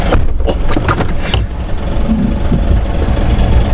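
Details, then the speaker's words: GMC 1500 5.3L V8 idling with loud irregular knocking from the front accessory belt drive, first suspected in the pump; the stiff belt tensioner was at fault, not engine internals. "I think it's something in the accessory drive. Feels like it's in that pump."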